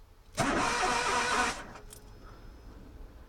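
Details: Car stalled when reverse was engaged and later would not start: about a second of steady cranking that never catches; it engine turns over but won't fire.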